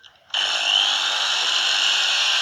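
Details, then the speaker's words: Angle grinder runs with harsh, rough high whine and large sparking at the brushes; worn carbon brushes, risk of damaging the armature. "Saya ada kereta nih, di posternya muruk, ada percikan api dan suaranya ngorok."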